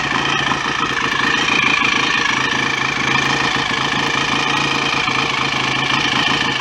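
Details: BSA A65 twin after engine rebuild, ignition advanced: smooth, even idle with steady beat and no bottom-end knocking or clatter; oil circulating, no smoke, mechanically sound.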